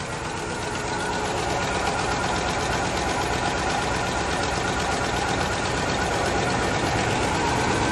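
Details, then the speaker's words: 1997 Ford F-250 (OBS) V8 that sat about a decade, being revved: uneven, lumpy idle with an irregular stumble about every third of a second, shaking and smoking; misfire suspected, not confirmed; rough idle. "let's give it some revs oh now she's really shaking smoking a little"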